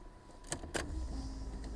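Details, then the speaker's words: LS-swapped BMW E36 at key-on before first start, open wide exhaust: a few clicks then a low steady buzz of about two seconds; fuel pump priming normally. "Hear the fuel pump kick, 2 seconds."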